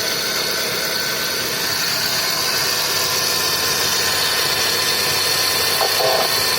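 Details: Chevrolet Celta accessory belt area at idle: steady high-pitched hiss and whirr, first suspected as alternator or water pump bearing; alternator ruled out, noise traced to a worn accessory belt tensioner bearing.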